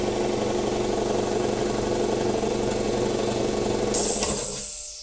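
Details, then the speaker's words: Roughly 40-year-old Campbell Hausfeld 20-gallon air compressor with new unloader: motor starts and chugs at an even pump rhythm, about four beats a second, then unloader hisses cleanly; runs fine, power outlet found to have problems. "new unloader works perfect"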